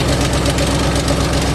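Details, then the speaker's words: 2008 Ford Mustang GT (S197) that sat for months on a weak non-Mustang battery and is low on gas: loud, steady knock pounding in time with the idle over a heavy rumble; a deep internal engine knock that is why the engine is being replaced. "let's move on that's around run out of gas so no y'all can hear that but and this is what that sound is why I'm replacing the motor"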